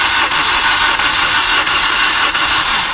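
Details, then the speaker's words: Maruti Suzuki Ertiga CNG with blown head gasket, cranked again on a borrowed battery as its own was down: starter spins fast and even with no compression resistance; low compression, piston rings fully gone after overheating. "हे engine असं फिरतंय जसं की याच्यामध्ये कॉम्प्रेशनच नाही आहे, म्हणजे starter मारला की इझी फिरते."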